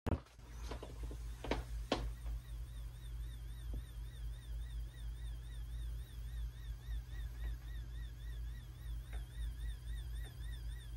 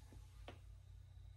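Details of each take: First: Seagate 6TB Expansion Desktop Drive in sleep mode: thin warbling high-pitched coil whine over a low hum from its power supply, occurring only in sleep and disappearing when the drive is in use. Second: Seagate 6TB Expansion Desktop Drive in active use: low steady hum with soft ticking and seek clicks; power supply coil whine, present only when sleeping, disappears while running normally.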